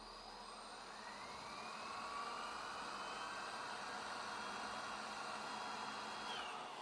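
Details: Vacuum cleaner turbo brush head after cleaning and reassembling the belt to cure squealing: soft, even whir that climbs in pitch and holds steady, no rattles or scraping; brush spins freely and quietly.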